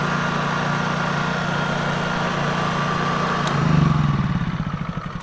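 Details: New Honda EU3000is inverter generator, first start on its already-charged battery: smooth, even hum and steady low drone with a brief surge as it settles. Sounds healthy.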